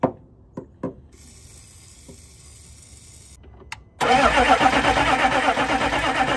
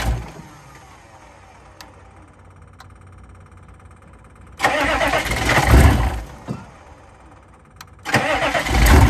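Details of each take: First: 2000 Chevrolet C3500 4x4 turbo 6.5 L diesel, sat for years, with WD-40 in intake: even churning cranking, never fires; no fuel from the fuel pump, crank no start. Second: 2000 Chevrolet C3500 4x4 turbo 6.5 L diesel: two cranking bursts, catches with deep clatter, rough but steady idle; sounds like muffler cut out, no coolant yet; normal start and idle.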